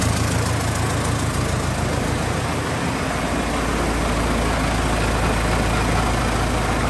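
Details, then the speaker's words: Cummins 4BT diesel in a barn-find truck, cold start after sitting, starts right away: deep, steady four-cylinder clatter with an even low throb and no misses or knocks; normal diesel idle that sounds unusually good for a 4BT. "It sounds so good for just a 4BT, man. 4BTs don't sound like that."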